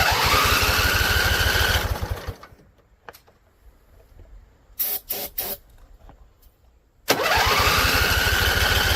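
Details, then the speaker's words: Husqvarna Z254 mower engine, after a PTO clutch job. It runs rough about two seconds on carb spray, dies, then catches again. Fires but won't stay running on its own; owner suspects flooding or a tank not venting. "All right, so it came on. I think we burned off all the carb spray we had in here. So, let's give it some more. See if we can keep it alive."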